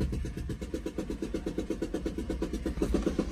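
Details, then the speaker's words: Ford Excursion 6.8L V10 gasoline with a spark plug blown out of the head: loud rhythmic chuffing at idle, about three puffs a second, like a helicopter. Not a pleasant sound. "Just like a helicopter. It is not a pleasant sound."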